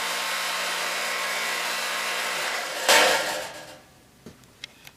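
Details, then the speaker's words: Industrial-grade 3/4 HP 3750 rpm electric motor on a 6-inch chain mill, chains not yet installed: steady high-speed whir with an even airy rush for nearly three seconds, then a clean spin-down; healthy. "high-speed motor. It's 3750. It's not the slower 1800 RPMs. This is in industrial grade."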